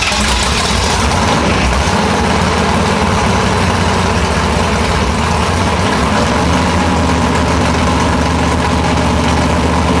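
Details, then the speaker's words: Big-block nitrous Chevy Nova after two pistons were replaced because of a burnt piston, warming up, carburetor still not fully tuned. Deep, even, lumpy rumble with no knocks or misses; best it has run. "well guys this the best has sounded or ran since we've had it and I'm still not real keen on this carburetor"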